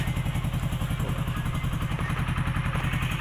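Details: Hero HF Deluxe single-cylinder bike after repair of lost compression, which had made it stall while riding and returned after an earlier oil-in-head fix: a firm, regular idle thump of about three beats a second. Valve compression is restored and it runs normally.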